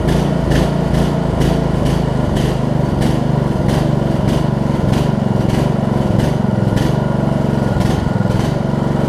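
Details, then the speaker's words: Briggs & Stratton Intek single-cylinder on a Snapper RER rider, after replacing the camshaft and automatic compression release and flywheel key: fires and settles into a steady, even run with no knocks or misses; runs great. "just ran it for about 15 minutes i blew off i'll show you real quick blew off parts of the driveway just cruising up and down um runs great"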